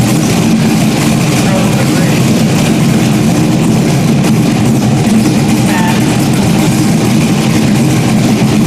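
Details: Stock-block 5.3 V8 race car just rebuilt after almost a year, idling after its first start: deep, loud, even rumble with no misses or knocks, settled into a steady idle. Healthy normal idle.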